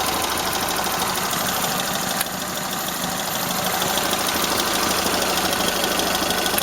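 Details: Toyota Corolla Ceros, 4A-FE engine, C50 manual gearbox, idling: light, quick ticking about three per second; owner unsure if valve tick or gearbox shafts rattling; slight exhaust corrugated-pipe leak also present.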